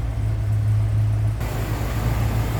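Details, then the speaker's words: 1976 Lincoln Continental 460 V8 with the hood open, new AC compressor fitted: a deep, steady idle rumble with an even beat and no knocks, ticks or misses, very smooth running, which is normal. "all right here you go it's the 460. you can see very smooth running sounds good"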